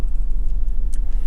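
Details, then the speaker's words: Warmed-up BMW E46 six-cylinder: idle slightly low, lumpy and stumbling, revs rising unevenly as if hopping; misfire running on five of six cylinders, traced to one faulty ignition coil after new NGK spark plugs. "l'auto si è scaldata bene e il minimo è leggermente più basso di quello che dovrebbe essere quando io vado accelerare l'auto non sale omogenea ma sembra che saltelli che zoppica"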